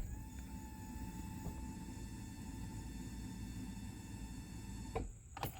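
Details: Summit Racing Max EFI-500 fuel injection install, key-on: steady high electric hum for about five seconds then cuts off; fuel pump priming normally.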